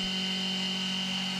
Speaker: Just doing a full depth cut, which is 400 thousandths deep with that 3/8 inch end mill, to see if it sounded okay, and it sounds great.